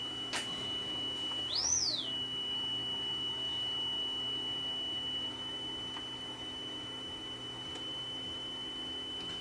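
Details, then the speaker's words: Akai HX-A1 cassette deck after fitting a belt, playing a 3 kHz test tone that reads about 2.9 kHz, slightly flat. Tape speed is a little slow; needs adjusting via the speed pot on the back of the motor. "it's going a little slow. That sounds a little slow."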